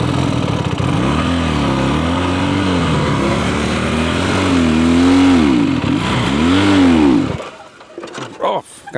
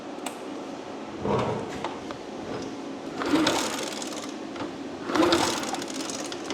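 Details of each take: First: Abandoned Honda Dream motorcycle, a small single long stored in a warehouse and saved from the scrapyard, revs up and down smoothly through several throttle blips with steady firing and no misses, then cuts off; runs pretty good, healthy. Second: Abandoned Honda Dream motorcycle, long stored in a warehouse: three short starter bursts about two seconds apart, never fires; cranks with no start.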